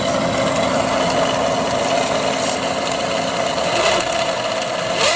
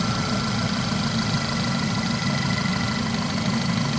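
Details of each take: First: Audi/VW 2.0T with low battery light, low voltage and no charging: a steady high whine or screech rides over the engine and shifts pitch as it revs; the alternator is failing and gets replaced. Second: Audi/VW 2.0T engine after replacing a failed alternator (low battery light, not charging, screech): a steady, even idle with a smooth low hum, no squeal or tapping; healthy.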